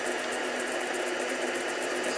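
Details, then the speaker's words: 7x10 variable speed mini lathe on a first turning pass over an out-of-round workpiece: a steady motor whir with a light, uneven chattering scrape as the tool catches the high spots. This is an interrupted cut. "as you can see is taking a very uneven cut and that's because the periphery of that workpiece is very uneven"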